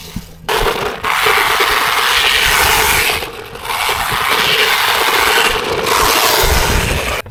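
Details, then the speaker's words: Hosim 1:10 scale 4WD RC truck on a three-cell battery: harsh scraping and crunching surges with each throttle burst, with high-pitched fast clicking; a gear is stripping somewhere, with a hot electronic smell from the motor afterwards. "that sound you hear clicking sound high pitch fast clicking sound is a gear stripping somewhere"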